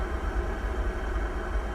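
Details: Pentair gas pool heater running after replacing a failed flue stack sensor: steady even low roar, no surging, cutting out or knocks. Burner holds its flame normally; owner watching whether it errors or shuts off after a minute.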